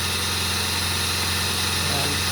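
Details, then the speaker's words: Freshly restored Singer sewing machine sewing a fancy stitch pattern in final test: fast, even whirring with fine steady ticking, no knocks or catches, so fast and smooth; normal running. "But listen to this machine while it sews. It's so fast and so smooth. Here we go. Smooth as butter."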